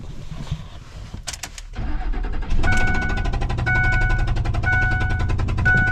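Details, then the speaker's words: 2005 Ford F-150 V8 with the spark plug missing from cylinder 3, which blew out and damaged the threads, driven into the shop. The engine catches and settles into rough, loud popping and chuffing as the empty plug hole blows out. "we're just gonna drive it in it'll be popping and banging without that spark plug in that hole but uh we just need to get it inside"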